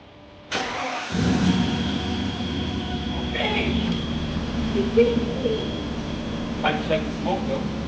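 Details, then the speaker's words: Mercedes W124 E420 AMG, M119 V8, first start after 5 years, with rebuilt injectors and new seals: starter whirs briefly, catches within a second and settles into a steady, even idle with no stumble or smoke; quiet, normal start and idle. "This is how it sounds like. It sounded like this when it was completely okay. It was quiet as a mouse."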